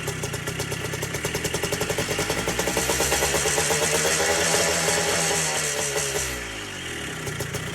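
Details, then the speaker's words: Three-wheeler ATC two-stroke, seized about half an hour earlier with lots of lubricant put in the top end, started on the first pull after priming: small two-stroke popping at a steady idle, blipping up and settling evenly, no knock or rattle; runs normally. "this thing was just seized not even an hour ago or less actually half an hour ago and it runs fine"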